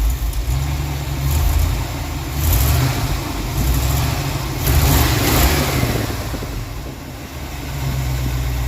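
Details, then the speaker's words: V8 at idle after advancing the ignition timing, vacuum advance disconnected: deep, slightly lumpy rumble that swells and dips but holds steady, much smoother and stumbling far less than before. "alright guys i got the timing advanced and as you can tell she sounds much smoother"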